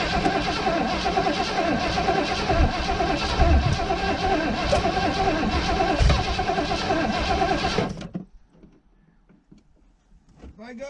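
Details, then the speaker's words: 1980 Ford Bronco first start after 18 months sitting, Seafoam added, carb primed with gas: starter cranks steadily with irregular coughs and exhaust puffs but never catches; owner suspects flooding. "it's coughing it wants to probably flooded it out or something with that seafoam"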